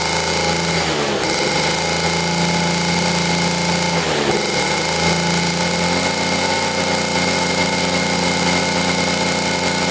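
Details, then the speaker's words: Rare 1950s German scooter, buzzy two-stroke with good compression, running for the first time in probably about 50 years: held at steady throttle with two brief dips, otherwise even firing; runs well but won't idle yet. "Well, she runs. That sounded amazing too. We just have to get this thing to idle."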